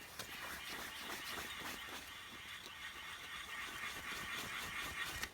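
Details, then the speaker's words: 2000 Dodge Neon right front wheel bearing, removed and turned by hand: dry, gritty rasp with small catches every fraction of a second, feels notchy; worn, rough wheel bearing. "You can hear that dry sound in there, and it feels very notchy when I'm turning it. So this bearing was definitely very rough shape as well."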